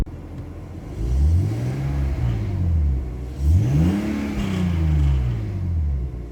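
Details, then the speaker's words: BMW E46 donor car with 179,000 miles, warming up at 700 rpm tick-over on a warm day, no warning lights: two clean blips, revs rise and fall smoothly without misfire, slight delay after pressing accelerator; healthy free revving. "But that is running beautifully smooth. So there does seem to be a bit of a delay after pressing the accelerator to the revs rising"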